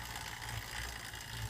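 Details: Sunny Fitness Pro indoor cycling bike SF-B901, about a week and a half old: steady gritty grinding from the drivetrain, worse pedaling slowly, with a low thump swelling about once a turn.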